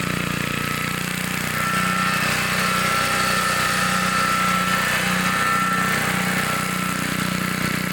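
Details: 1960s Bolens 28-inch Lawn Keeper mower, unadjusted carburetor, untouched at least 15 years, cutting grass with deck set low: steady, even drone holding speed, no misses, knocks or hunting; healthy normal running under load.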